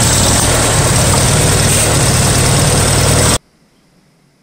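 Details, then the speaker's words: Farmall 140 industrial tractor, revived after 10+ years sitting, driven after a clutch repair: loud, lumpy running with an uneven chuff until shut off; a misfire because plug wires 2 and 3 were swapped on the distributor cap. "I think I was running this Engine with one of the spark plug wires firing completely at the wrong time so I just looked at this old cap and rotor and I can tell where the wires used to go turns out I had two and three switched this whole time"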